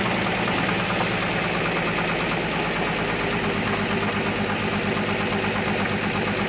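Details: 2003 GMC Envoy at idle: rapid, hard tapping knock about twice a second over the engine note; compression 180 psi all cylinders except #3 at 150 psi; new plugs, throttle body cleaned; cause unknown.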